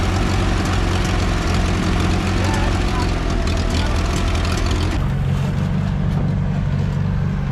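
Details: 1960 International tractor after adding fuel: loud, steady low engine drone with even beat and slight pitch shift midway; runs smoothly, normal running.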